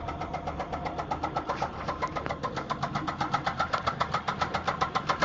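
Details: 2004 Grand Prix GTP Comp G, top-swapped XP-cammed L26 V6 at 1000 km on setup, idling: steady sharp knocking about four per second, louder as it settles; deep bottom-end knock, spun bearing suspected.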